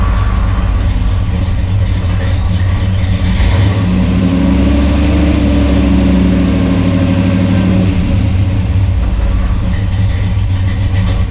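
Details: 1963 Chevrolet Bel Air V8, 4-speed, on jack stands after new flywheel, clutch, clutch fork and rod for clutch chatter: steady, low idle with a brief mild rise midway, no clunks or grinding; runs smoothly.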